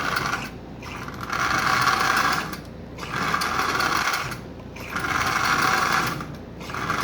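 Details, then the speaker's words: Marx 1666 locomotive, likely unrun for decades, very tight with bone-dry bearings: motor whirs steadily while the clacker's raspy clatter swells and fades about every two seconds; motor runs fine forward and backward, needs lubrication. "so you can see this has not been run in decades very likely so it is running it has a clacker in it as well I can hear that"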